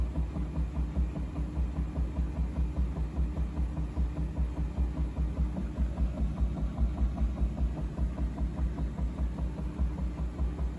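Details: Bosch washing machine spinning up: deep, regular pulsing rumble of about two and a half beats a second, heard as the spin speeds up and the drum wobbles; the owner does not know the cause.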